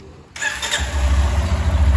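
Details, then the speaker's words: Lander 250 single-cylinder, about 29,660 km, after full engine rebuild for conrod pin knock and carbon buildup (new pinned conrod, original parts, clutch not redone): fires instantly, steady even low thump, no knocks; normal start. "pegou e agora sim ó toda original já ó o barulho galera que top"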